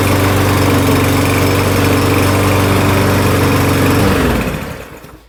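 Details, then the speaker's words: Troy-Bilt TB200 self-propelled push mower: steady, even single-cylinder putter at constant speed, then a clean wind-down at shutoff. Starts on the first pull with no smoke. "start runs real nice first pool no smoke no trouble starting wheel spin like they should"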